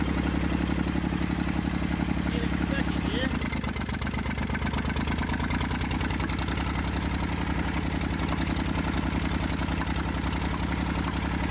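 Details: Massey Ferguson 35 diesel tractor, seized after 20+ years in the woods and freed, starter failed and removed, tow-started behind a truck in third gear high with fuel tank pressurized. It fired after about 300 yards. Brief dip, then steady low even diesel chug: normal running.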